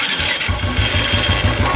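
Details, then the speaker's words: Royal Enfield with loud noise on self-starter cranking, then engine thumping at a steady beat with an intermittent knocking rattle, like something striking inside the engine; cause not yet found, engine to be opened. "ये देखो कितना अजीब साउंड था और अब भी देखो इसके अंदर साउंड स्टार्ट होने के बाद भी इसमें साउंड आ रहा है, एक जैसे कोई चीज़ टकरा रही है इसके अंदर।"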